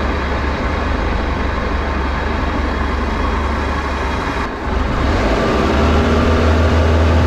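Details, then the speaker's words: Flood-washed Bayliner boat, alternator overcharging 16 volts, hull taking on water, at full throttle: steady deep drone with a brief dip, then smooth again; running good. "so far so good though she's uh running good she's full throttle"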